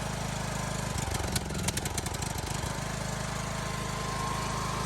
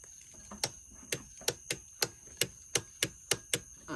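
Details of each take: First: Briggs & Stratton lawnmower engine with surging and smoking problem; spark and coil checked good: uneven hunting beat that rises and falls instead of holding steady, typical governor surge. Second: Briggs & Stratton lawnmower, key turned without cranking: crisp single starter solenoid clicks about three a second; solenoid good, while the mower separately surges and smokes.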